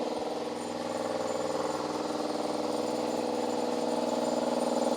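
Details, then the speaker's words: Salvaged air compressor restarted after its oil settled, charging up to check that the pressure switch works. A steady, even pumping chatter at a constant pace with no knocks or squeals; normal running. "to be um working normally I'm just going to let this kind of charge up make sure that our switch is working okay"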